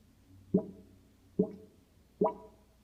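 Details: Kitchen sink drain: three hollow glugging plops, air burping back, before it belched dirty drain water; owner suspects backed-up sewer, unconfirmed.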